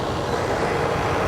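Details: Outdoor AC condenser unit, customer complaint not cooling and loud noise, restarted after checking compressor capacitor terminals; condenser coil very dirty: steady, even rushing hum from fan and compressor, no hesitation, buzzing or stall; running normally.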